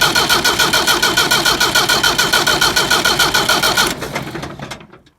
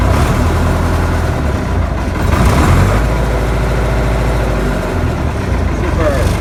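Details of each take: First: Leyland diesel tractor in neutral, possibly old or dirty fuel, bleeding air at fuel pump nut and cracked injector line: steady starter cranking about three and a half turns a second, never catches, winds down; no-start from air in diesel fuel system. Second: Leyland diesel tractor idling in neutral after a fuel filter change and bleeding air from the fuel system: diesel clatter settles into a steady, even idle with no stumbling or hunting; running normally.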